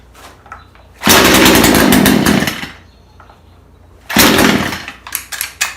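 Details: Craftsman two-stroke chainsaw, found in the garbage, after low-speed carburetor screw turned out a half turn for more fuel; picks up crisply to a high steady scream in two bursts and drops back cleanly.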